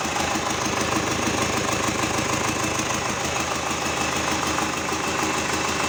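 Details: GAZ 3309 D-245 diesel after repair idling with a steady, even clatter at about two beats a second, no misses or heavy knocks; a normal, healthy idle.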